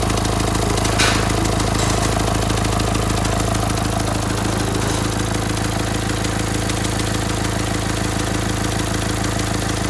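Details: Renault Symbol, a month after a complete engine rebuild, idling: fast regular ticking about three per second over the rumble; strange ticks hard to trace, eventually found at the first suspected spot.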